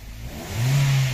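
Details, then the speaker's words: Stalling engine, previously delayed throttle response, after fix: short clean throttle blip, revs climb smoothly and settle with no stumble; engine now rev-responsive, misfire gone. "Ayun umangat na rev responsive na siya"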